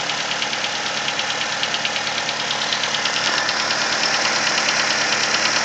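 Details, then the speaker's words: Nissan Versa cold petrol engine settling to idle with a sharp steady tapping, about three a second, from the cylinder 3 area; the tap grows more prominent as revs drop and lasts 10–15 minutes until warm. "can hear it plain as day now. And specifically hearing it coming from cylinder number 3 or that area. And the noise will continue for the first 10-15 minutes of travel until the engine warms up."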